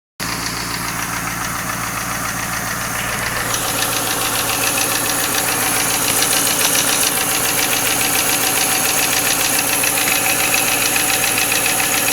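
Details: 1995 Lincoln Mark VIII LSC, Ford 4.6 DOHC V8, at idle: sharp, even ticking about three and a half per second; unclear whether it is lash adjuster tapping or piston slap/rod knock.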